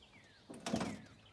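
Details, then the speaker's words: 1940s International truck door, window pushed down by hand: crunching scrape as the glass hangs up, window regulator gear binding, risk of breaking gear teeth. "You can hear it crunching in there, that's not good. She's hung up somehow."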